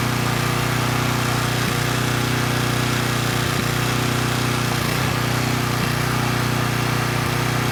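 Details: Coleman Powermate Pulse 1850 generator (1996 engine), after repair and governor speed reset to about 62 Hz, powering a space heater slightly over its 1500 W rating: steady, even drone with a firm low hum, no hunting or surging, holding 114 V; normal running under load.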